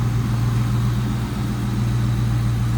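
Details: 1996 Ford Mustang GT convertible, 4.6 (281 cu in) SOHC V8, automatic, 149,312 miles, engine bay shown: smooth even low rumble, steady pitch, no knocks or misses; V8 idling cleanly.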